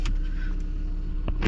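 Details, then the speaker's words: 2011 Toyota Prius after replacing the cylinder 1 ignition coil for a P0301 misfire code and engine knock, code now cleared: low even rumble with a steady beat and only a couple of light ticks, running smoothly with no misfire; normal idle. "गाड़ी तो अल्हम्दुलिल्लाह स्मूथ है। कोड चला गया, code clear हो गया।"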